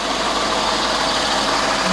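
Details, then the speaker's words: Vauxhall Grandland, former auction non-runner, still idling on the ramp; owner doubts the battery because interior lights flicker and it may not be charging. Smooth even hum, no knocks or misses. Normal idle. "have a look how everything's looking obviously it's still running uh I'm not convinced the battery is any good"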